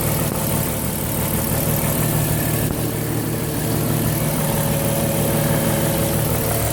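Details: Porsche Cayenne at idle: a steady drone with a loose, irregular rhythm of about three pulses a second; abnormal engine noise, cause unknown.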